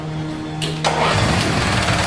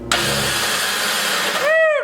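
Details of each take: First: Mini dune-buggy utility vehicle after new fuel shutoff and fuel line: starter turns briefly, engine catches quickly and settles into steady, even idle with no knocks or misses. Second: Mini dune buggy-style utility vehicle, battery freshly charged: turning the key gives a high whine that rises and sags while the engine never turns over. The starter spins freely without engaging and needs replacing, which requires pulling the engine.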